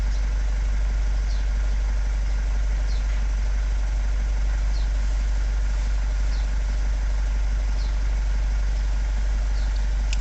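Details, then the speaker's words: Vauxhall Vivaro diesel van (Renault Trafic/Nissan Primastar twin) at idle after fixing engine ECU power supply that caused crank-no-start, oil pressure fault and no ECU communication following clutch replacement; steady, even diesel clatter, no misses or knocks, healthy. "Straight up starting, great result."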